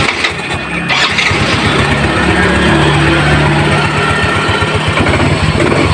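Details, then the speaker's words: Yamaha Mio Z 125 single-cylinder scooter after starter dynamo repair: starter whirs briefly, then engine catches and settles into a steady, even idle with no grinding or slipping; starter works again. "Jadi, starternya atau dino starternya sudah hidup kembali, ya."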